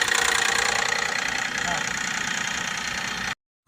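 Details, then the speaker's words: Toyota Crown engine at idle with a fast, even metallic rattle about three per second; suspected faulty VVT gear or low oil pressure to it (oil pump, blocked passage or screen, bearing leak, VVT control valve); unconfirmed. "从这个异响上，我们来分析啊，主要是2个方面。第一个方面呢，就是那个 VVT 轮坏了；第二个方面就是 VVT 轮上来的机油压力不够。"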